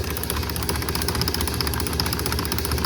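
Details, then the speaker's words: 1949 Ford F1 with a rebuilt engine, sat for 20 years, magneto spark test on two spark plugs: quick, even, rhythmic snapping clicks over a steady hum. Good, healthy magneto spark. "Yeah, you got good spark there. You might not be able to see every single one because of the frame rate of my camera, but you can hear the nice rhythmic clicking."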